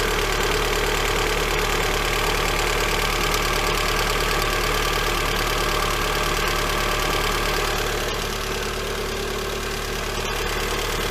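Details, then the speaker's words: Lada Granta 126 engine first start after full rebuild, knock present cold and hot: steady idle with light even ticking about three to four a second; one hydraulic lifter found sitting higher than the others. "Вот такой вот стук на холодную и на горячую. Сейчас будем разбирать. Непонятно откуда."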